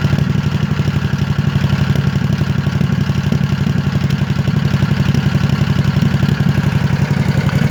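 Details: Scag V-Ride mower at idle: low, lumpy idle of about four pulses a second with an uneven popping, misfire-like beat. It sounds fine at wide-open throttle, and the owner notes the fuel filter isn't full while running. The cause is unknown.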